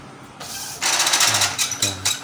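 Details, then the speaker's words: Epson L110 printer at power-on during a long-spinning-roller, head-not-moving, blinking-lights fault check: quick whirring and ratcheting bursts as the head carriage shuttles across cleanly, confirming the print head carriage moves normally. "normal. Bergerak normal."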